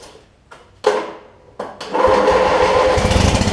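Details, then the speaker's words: Craftsman LT1000 Briggs opposed twin, which had been cutting out and not restarting when hot: after cleaning the flywheel magnet and regapping the plugs it catches and settles into an even, deep, strong rumble; restarts easier, not fully right. "listen to the rumble this thing's got on it oh how well the cameras picking that up Wow the thing that's a world of difference"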